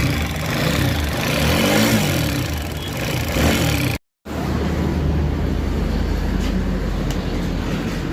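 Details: TVS Apache RTR 4V 160 bike: revs, then steady running with a faint busy rattle over the engine note from timing chain noise; timing chain replaced as the fix.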